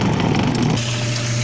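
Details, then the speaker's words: Washer tub (tanquinho) motor after replacing a loose, seizing bearing that had jammed the motor with loud noise: steady, even low hum with no grinding or knocking, running normally again. "E ai gente outra aqui funcionando Oi beleza um simples rolamento travado motor não tava funcionando"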